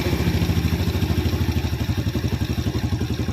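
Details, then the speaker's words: Yamaha Vega R New motorcycle after resetting too-tight valve clearance and adjusting carburetor idle screw: even steady thump idle, no hunting, does not stall; normal idle. "going to idle, yes, it's stable, yes, I'll turn it down again, and the engine is about to roar, Bro, OK, yes, it's stable, it doesn't turn off"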